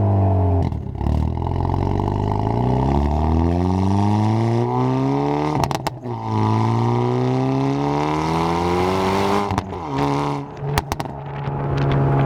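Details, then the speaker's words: Hyundai Veloster N turbo four in N mode with Depo Racing catless downpipe (cats removed) and JB4 tune, heard in cabin; loud, raspy exhaust rising and falling cleanly through revs, no leak ticking or puffing: healthy free-flowing exhaust. "Sounds so good. Definitely gives it more like of a almost rasp, but I mean that's what you get when you start removing stuff from an exhaust, right?"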